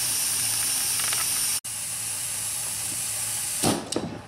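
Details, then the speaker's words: BMW E70 X5 with N55 engine, vacuum bleeder test on the cooling system: constant airy hiss like boiling as air is drawn in through a crack in the coolant expansion tank; system cannot reach or hold vacuum, confirming the leak. "now i hear it sounds like a boiling sound so we're actually sucking and drawing in air through the rupture on the side of the expansion tank"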